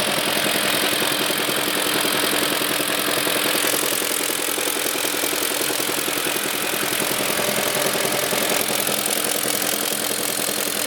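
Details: BMW E38 with M62 V8 petrol engine idles with a steady, sharp knock repeating about three to four times a second.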